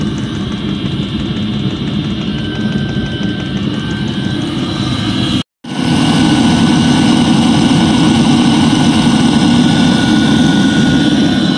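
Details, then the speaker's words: Eberspächer D5WZ diesel parking heater from a 1.9 TDI Ford Galaxy/VW Sharan/Seat Alhambra, after repairing at least three faults; smooth even burner and fan roar, no surging, popping or rattles, no visible smoke; normal parking heater operation. "D5WZ operation after repair :) there must be no visible smoke during operation"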